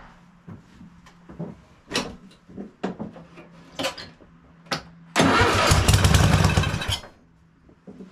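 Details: Cub Cadet RZT zero-turn mower (54-inch deck) after an engine swap to a newer Kohler Courage V-twin, first start with a carb-cleaner spritz: short cranking bursts, then it catches with a loud steady roar for about two seconds and runs.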